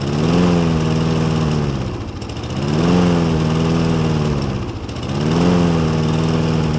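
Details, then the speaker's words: Toro Recycler push mower: engine speed swings up and down about every two and a half seconds, surging; attributed to insufficient airflow (air filter or vacuum hose), while start-then-stall is blamed on not enough fuel. "now as you see it how it acting it will start and then cuts back up that problem it is the lack of gas there's not enough gas going through"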